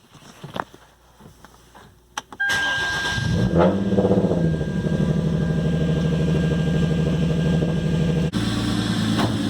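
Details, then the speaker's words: 2013 Hyundai Genesis Coupe 3.8 V6 Track, manual, before repair: after startup a thin, steady high whine holds its pitch over the idle; the power steering pump has failed and is to be replaced. "especially when you got that winding noise coming from your power steering pump"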